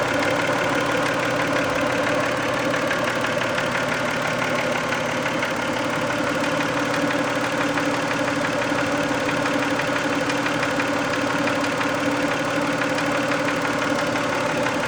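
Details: Warm 1990 Toyota Camry 2VZ-FE V6 at busy idle after a 15-minute drive, faint uneven top-end tapping around ninety a minute; only when warm, later cleared; owner guesses sludge on a shim/bucket, unconfirmed.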